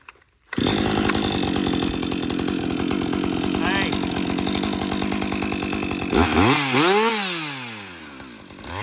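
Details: Husqvarna 562XP chainsaw after a software reflash for dying when hot and stumbling. Primed to purge air, then after its longest straight run, which the owner calls its best running ever. Pulls steady through the cut, revs cleanly when freed. Healthy under load.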